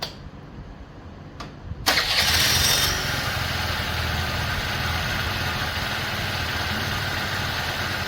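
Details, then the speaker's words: 2003 Honda Elite 80 (CH80) scooter after sitting 15 years, airbox off, exhaust remounted, manually choked: sharp catch at start, then idle drifts up and down. Owner plans to test for vacuum leaks with carb cleaner; cause not found. "I manually choked it and it ran okay but the idle's kind of all over the place"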